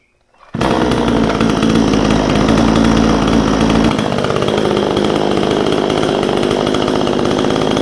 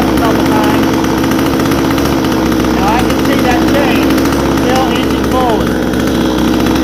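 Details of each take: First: Vevor 62cc chainsaw, warmed up, after backing out the idle screw so the chain stops inching forward: steady, even idle at about 3,100 rpm with no surging or stumbling; idle speed properly set. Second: Vevor 62cc chainsaw, warmed up: fast loud even buzz at idle that never settles low, chain still inching forward with brake released; idle too high.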